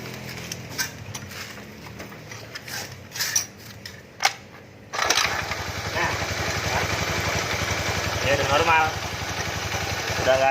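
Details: Normal idle of a carburetted Honda Scoopy 110 after a kickstart area rattle fix: handling clicks, then the single fires up and settles into a smooth, even run with no rubbing or knocking; the starter dynamo was noted as problematic.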